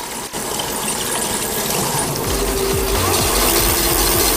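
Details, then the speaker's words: 48V e-bike hub motor after planetary gear replacement, 15,095 km: motor spins up smooth and fairly quiet, light rhythmic chik-chik from a brake pad slightly rubbing; motor itself sounds healthy, near new. "모터 고유의 소음은 상당히 깨끗해진 편이에요 컨디션은 지금 신차와 거의 동일하지 않을까 그런 느낌이 듭니다"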